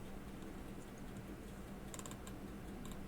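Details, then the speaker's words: Elgin Convertible pocket watch in winding position, crown turning: faint, quick little ticks in short bursts as the winding ratchet clicks properly and lets it turn only one way. "it will not turn the other way it'll only turn one way and that's when you would have it in the winding position see now it's clicking but not turning the other"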